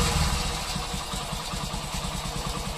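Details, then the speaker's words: Passion Pro single-cylinder bike after working on the accelerator cable: steady, even thump around twelve beats a second, no racing; normal idle, cable confirmed as cause, oiling advised. "ये देख सकते हैं bike हमारा बिल्कुल भी race नहीं ले रहा है दोस्तों मतलब की ये वायर जो था यही रिस्पांसिबल था हमारे प्रॉब्लम का"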